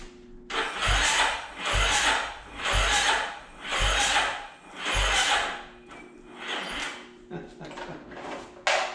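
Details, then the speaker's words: 2009 Yamaha Raptor, rebuilt engine: slow, labored cranking at about one stroke per second, dragging hard on compression, never catching. Owner suspects the starter burnt up after its jammed one-way clutch kept it spinning; not confirmed. "doesn't seem like that start is any good all right it doesn't look like we're gonna start it today"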